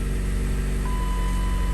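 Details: Dodge Caliber idle after repair; it had a no-code idle shake with good motor mounts, and an OEM part behind the airbox was replaced. Now a low, steady, even idle with no stumble or shake, running smoothly.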